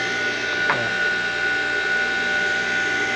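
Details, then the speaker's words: Old water pump electric motor with points (platinado), probably unused about five years, after cleaning; switched on, points cut out at a certain speed: constant steady hum with fixed high whine, no rattle or grinding. Normal running. "Esse motor é platinado né quando a gente liga aqui o platinado e desliga certa velocidade"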